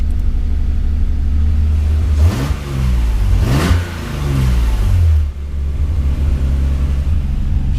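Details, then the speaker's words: Nissan Z on first short drive at about 35 degrees, cooling system unfinished, some white smoke seen: steady low engine drone holding even under way with another vehicle passing midway; running good. "running good though"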